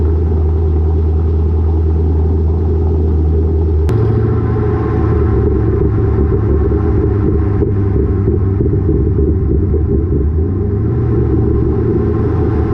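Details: Lowered car (rear coilovers) with Borla catback, after a header-wrap fix on the over-axle pipe: steady low road rumble under the car, with no thuds, knocks or rattles; the exhaust no longer hits the axle.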